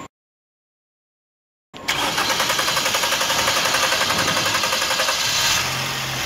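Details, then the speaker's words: 2005 Toyota Corolla gasoline engine, first start after partial (meia-sola) rebuild: silence, then long run of fast even cranking, three to four pulses a second, before it catches and idles; long crank attributed to dry fuel line needing pressurizing. "Essa partida longa, pessoal, é devido ao fato do... da tá seca a linha de combustível."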